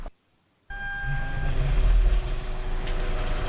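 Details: Vehicle power steering pump noise at start-up: the engine fires to a low rumble with a thin steady whine on top that fades into the idle; a power steering noise to be fixed, alongside power steering oil leaks.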